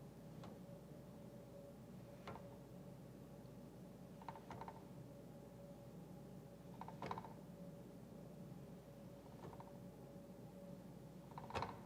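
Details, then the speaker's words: New Ryobi flooring saw, carriage rolled along its slide rail: quiet rolling broken by a sharp click or bump about every two seconds. A shipping zip tie cinched too tight flattened the wheels, which now catch on the flat spots. "You hear that? It actually stops and you can feel it hitting the flat spot. Very disappointing."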